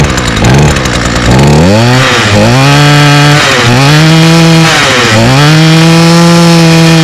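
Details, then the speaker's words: Two-stroke string trimmer run on TruFuel, started on the first pull: a crisp buzz that climbs cleanly with throttle and settles back with no bogging. Runs normally. "wow one pole that is impressive I did not expect that so as you can hear it runs all right um I guess that true feel really made it difference"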